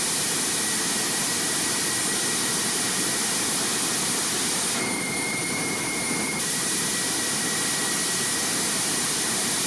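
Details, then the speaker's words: Homemade jet motorcycle turbine, tested in the garage after afterburner redesign: steady hissing jet roar with a constant high whistle, no flameouts or surging; stable afterburner that doesn't blow out at any speed and ignites in all turbine modes. "The result is a high-quality, stable afterburner that does not blow away at any speed. And of course, of course, it is ignited in all turbine modes."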